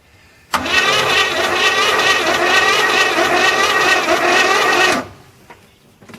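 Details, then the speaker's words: 1981 GM square-body truck that sat 25 years in a field, with new plugs, two replaced wires, soaked cylinders and a hot-wired start: the starter cranks unevenly for about four seconds without firing; low compression suspected and the battery is fading. "That doesn't sound like it's got enough compression to run."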